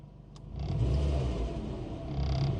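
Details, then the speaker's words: Nissan Micra K11 started after recharging a flat six-month-old battery, alternator charging suspected: engine catches and settles into a low steady rumble with a slightly rough edge; normal cold idle after sitting unused for a long time. "sounds very cold as you'd expect this car hasn't been run for quite some time"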